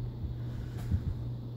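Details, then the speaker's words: 52" Encon ceiling fan on medium, mounted via ball-and-socket bracket directly to the ceiling joists: steady low electrical hum carried through the structure into the room below; lifting the fan stops the hum. "installed right to the ceiling joists so um it actually makes a humming noise through the floor into my parents bedroom which is the only reason they won't let me put a fan here"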